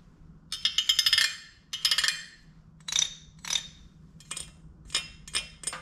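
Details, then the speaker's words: 1974 Kawasaki H1 Mach III fitted with an H2 750cc two-stroke triple: sharp metallic clinks and rattles when kicked over. The owner assumes the crank but says it could be many things; unconfirmed. "and also this noise you'll hear when I kick it over too like I I'm just assuming it's the crank but it could be a lot of other things"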